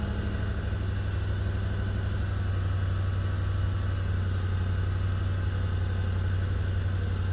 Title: Stock 2005 4runner with a 4.7 and nasty exhaust leak. #4runner